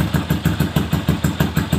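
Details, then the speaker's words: Bored-up Yamaha Jupiter Z 125 after tune-up (complaint was high-rpm vibration and power loss): even idle thump about six and a half beats a second, steady with no tapping; engine now smooth and quiet, normal idle. "untuk mesin depan suaranya Udah adem halus ya"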